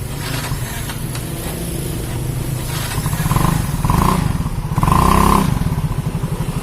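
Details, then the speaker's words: Automatic scooter after CVT repair for weak hill climbing and loud squeal under heavy load or with passenger: rear wheel spinning, low even drone rising and falling with throttle, no squeal; normal CVT operation. "ya Sambil kita Rin belakang ya kita Rin belakang itu tidak ada lagi bunyi teman-teman Oke sudah tidak ada lagi bunyinya"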